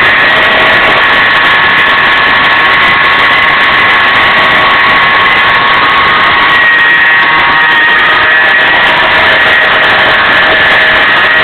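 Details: LS1 V8: a steady high whine over the running engine, climbing in pitch with rpm, present hot or cold and unaffected by steering or AC; a dry static idler pulley between the power steering pump and alternator, fixed by re-greasing.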